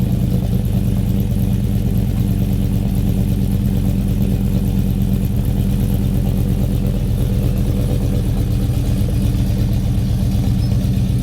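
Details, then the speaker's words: 5.3L V8 Silverado with 2024 C8 intake manifold, 2019 ZR1 throttle body, headers and cold air intake, untuned: deep V8 idle with lumpy uneven beat, struggling to stay running; louder exhaust. "so yeah you can hear it having a hard time uh idling like I said none of this is tuned"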